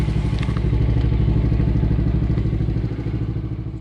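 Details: 2022 Yamaha Grizzly 90 ATV single-cylinder, started just after an oil change, putters at an even, steady idle, its beat slowly fading off; sounds healthy and settled, normal idle.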